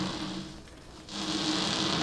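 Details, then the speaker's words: DarkAero 1 airplane pushed by hand on its landing gear over pavement: thin squeaky chirps over a scuffing rub as the tires, canted in with a built-in toe angle for runway stability, scrub; normal tire scrub. "kind of squeaky like that that's because the tires are canted in slightly so they have a towing angle that's for better ground handling characteristics or better uh stability when you're rolling down the runway"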